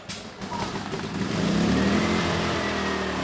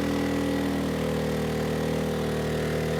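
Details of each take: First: ERAYAK 3500 W tri-fuel inverter generator, gravity-fed fuel, choke on, first start: engine catches within a second and settles into a steady, even run with a faint constant tone; starts right up, light comes on, about 124 V at 60 Hz; normal start and run. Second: ERAYAK 3500 W tri-fuel inverter generator on propane overloaded to about 3,400 W; steady engine drone whose pitch sags and stays lower as load builds; engine bogging, propane about 10% down on power versus gasoline.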